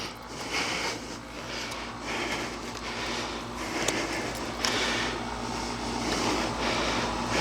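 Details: Honda Shadow 1100 that sat for years, old fuel removed, with carburetor cleaner: starter spins the engine briskly and evenly with strong, unlaboured rhythm, not yet firing. Normal cranking.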